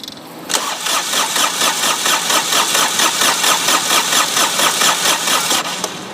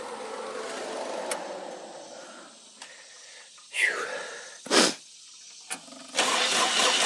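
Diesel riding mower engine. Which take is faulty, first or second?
first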